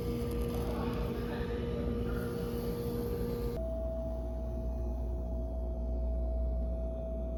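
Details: Whirlpool refrigerator, comparing the display unit's sound at Lowe's with the unit delivered home: a constant pure hum that jumps to a higher pitch partway through; noticeable tonal drone, cause unknown.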